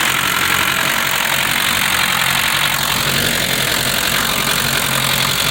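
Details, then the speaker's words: 1960 Mercedes-Benz 190D diesel, restarted after new battery cables and ground straps, penetrant on starter terminals and tapping the starter with a hammer: steady diesel clatter at even idle without stumbling; running normally. "i just tapped it a few times and i just go back and forth trying to get the thing to start and uh and lo and behold it started"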